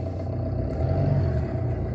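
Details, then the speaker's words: Car started in neutral with clutch fully pressed: settles into a low, steady hum at about 1000 rpm with no knocks or surging; normal idle. "இப்ப start பண்ணி காமிக்கிறேன் வண்டி start ஆகுறது உங்களுக்கு sound தெரியும்"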